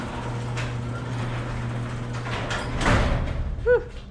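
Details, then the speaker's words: Very old garage door closing: steady low rumble as it travels, then sharp squealing screech near the end; worn rollers suspected, to be replaced with new rollers. "okay today's project is this really old garage store it sounds [Music] [Applause] awful"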